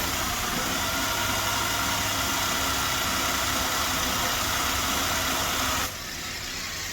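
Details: Nissan Almera 1.2 three-cylinder, warm idle: uneven lumpy beat with irregular stumble, misfire also heard at exhaust; owner plans to check ignition coils first, then injectors.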